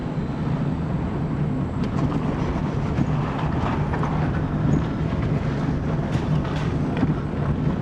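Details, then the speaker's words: Dodge Neon driven on the same rough road after replacing the front sway bar bushings: steady tyre and road rumble with no knocks or thumps; the earlier front-end thump is gone. "what a difference that noise is gone let me just be quiet you can listen now remember it was noisy here"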